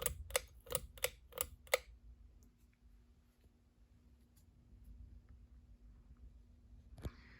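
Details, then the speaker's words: 42-inch Westinghouse Casanova Supreme ceiling fan, started on low speed. Pull-chain clicks, then a faint steady motor hum; the bearings are stiff. The owner is unsure of the cause and notes the fan stops quickly. "now this one is a little bit different and there is some humming onto the fan I don't know if she could really hear that but if you can then yeah the bearings are also stiff on this"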